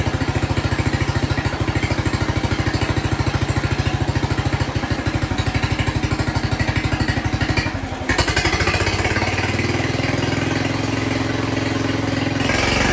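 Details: Jacobsen Chief 1200 tractor, cast-iron Kohler 301 single, after sitting about 3 years; aftermarket Chinese carburetor adjusted. Even single-cylinder putt at idle, firing about once a second, then smoothly picks up speed. Owner noted slight hesitation on throttle-up before adjusting. Normal idle.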